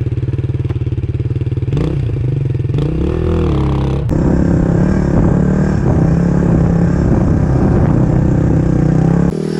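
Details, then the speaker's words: Suzuki DR350SE single-cylinder dirt bike, revived after sitting abandoned, running after valve cleaning: steady even single-cylinder thump at idle, firm once it catches, no clatter or misfire; engine sounds much better and healthy. "now these valves are clean let's turn it on and see what happens that looks a lot better"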